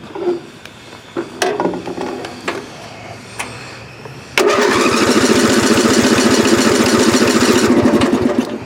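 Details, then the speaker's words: Circa 1982–83 lawn tractor, about 35 years old, hot after driving around the house: a few clicks, then steady cranking about four strokes a second without firing; hot engine won't start. Owner suspects the ignition coil, not confirmed. "it doesn't want to start so let's let's change the coil and see if that helps any"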